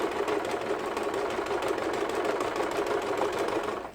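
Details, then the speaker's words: Yamata sewing machine after repair of a stiff needle bar and faulty bulb wiring, doing zigzag stitching: fast, loud but even needle clatter at about three strokes per second. Normal operation; the noise is because it is a low-cost machine. "좀 저가의 미싱이기 때문에 소음이 큽니다. 야마타 미싱 지그잭 바느질 그래서 나왔고요."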